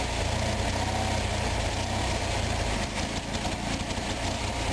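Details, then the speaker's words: Onan 4.0 BFA genset with rich-running, non-adjustable carburettor, choke always full open even cold-starting at 15 degrees: while idle mixture and rich screw are adjusted, engine surges and hunts unevenly with irregular bangs, backfiring and stumbling from over-rich mixture. "And I'm tightening down the rich screw here. Back off of it a little bit. You hear it totally bang bang."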